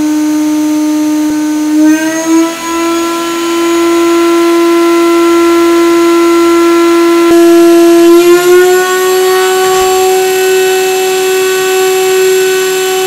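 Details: CNCDepot S30c 2.2 kW ATC spindle, ceramic bearings, 24k rpm max, pneumatic drawbar, on a CNCRouterParts Pro 4896 router: clean steady high whine stepping up smoothly in pitch as speed rises, no roughness or rattle; normal healthy spindle.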